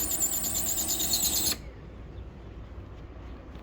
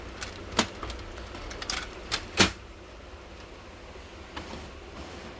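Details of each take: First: Canon imageClass LBP122dw laser printer making noise: high, thin squeal with a faint repeating rub, cutting off cleanly when it stops; worn fuser sleeve. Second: Canon imageCLASS LBP122dw printer after greasing the dry fuser part and refitting the sleeve: quiet running with a few light paper-handling clicks, no grinding; normal operation, noise gone.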